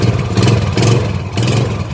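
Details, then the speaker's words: Yamaha Jupiter Z motorcycle that would not start, after fuel, compression and spark were confirmed and the plug cap refitted: the small single catches and revs cleanly in short blips. It runs normally again. "baik teman-teman, mesinnya sudah bisa hidup kembali."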